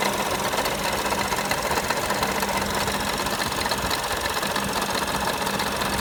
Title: Bruit moteur Audi A1 1.4L 185CV TFSI